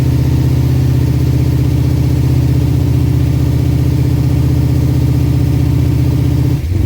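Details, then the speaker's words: Holden VK Commodore with freshly built 355 stroker V8, first start during cam break-in at about 2000 rpm: deep, even burble at a steady fast idle, no knocks or misses; started straight away with instant oil pressure, healthy. "There you have it. She runs. Bloody stoked with that."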